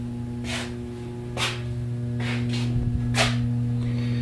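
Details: 44-inch Hunter Stratford II ceiling fan, circa 2008, running on low: steady low 60-cycle electrical hum under the fan with a few soft knocks; owner believes the capacitor needs replacing.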